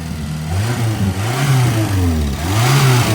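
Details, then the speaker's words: Renault 7 on its first run out this year, being readied for a motor show: steady, even low rumble with smooth rises and falls as it is blipped, no knocks or misses; sounds good, a healthy engine. "That's sounding good. That's the first trip out for that this year. Getting ready for the motor show tomorrow. That sounds better."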